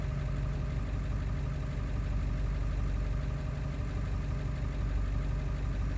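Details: Ford 7.3 diesel running after ICP sensor replacement, still not running right: low, heavy idle with an uneven, loping beat around ninety per minute; rough idle, cause unclear.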